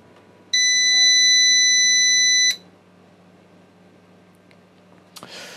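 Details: Old UPS revived with a car battery, switched on with a UK plug and power meter attached for load testing: steady high-pitched beep for about two seconds at switch-on, then a quiet hum; battery charging at 0.9 A; beep cause unknown.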